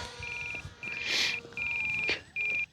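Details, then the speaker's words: RC plane in flight: repeating bursts of rapid high-pitched pulsing beeps, about one per three-quarters of a second over music; the low-voltage telemetry warning, which alerts without cutting power. "there's our low voltage warning so we have definitely got pulsing now you guys listen carefully you might hear [Music] it you guys hear it and so what that does is it allows you to know that you've got low voltage but it doesn't kill your power"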